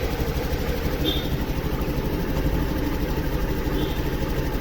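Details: Honda Activa 6G scooter after oxygen sensor replacement, warmed up with multimeter connected showing correct readings: small single at an even, fairly quick idle with a soft low putter and no misfires; normal idle.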